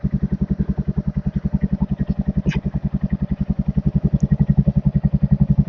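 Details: Royal Enfield Hunter 350 after new battery installed following no-start: even, steady idle thumping about 220 beats a minute, no misses or knocks; normal healthy idle, charging 13–14 V.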